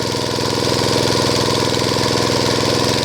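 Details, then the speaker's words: Small single-cylinder engine, choke-started on petrol and then switched to gas feed for a water pump, revved after gas adjustment: holds a steady, even beat without stumbling, so the gas feed rate is right. "เร่งเครื่องไปอีกถ้าเครื่องยังเร่งอยู่แปลว่าโอเคครับจ่ายแก๊สได้ได้อัตรา"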